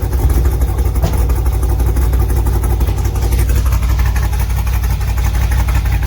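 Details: LS2 V8 in a third-gen Camaro pro-touring car, just after a cold start following an oil change: steady, even low idle rumble with no knock or tick; the earlier knocking is gone; normal idle.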